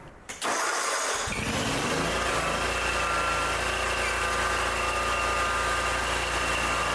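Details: Ferris zero-turn mower after troubleshooting, new battery and repairs, started before engaging the deck: brief crank, catches at once and settles into a steady, even idle with no knocks or misses; normal start and idle.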